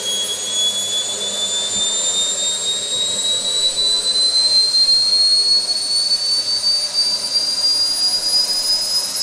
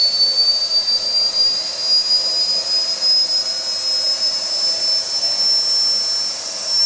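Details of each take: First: SWIWIN SW220B micro turbine on test stand, second run after adjustments: smooth steady high whistle rising gently, no surging, at almost 38,000 rpm idle with about 2.5-2.6 lb idle thrust; normal idle. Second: SWIWIN SW220B micro jet turbine on test stand, first raw factory-settings startup at about -24°C; high whine creeps up slightly then holds flat, hanging on fuel ramp because tank vent plug was left in, restricting fuel; fuel-starvation startup hang.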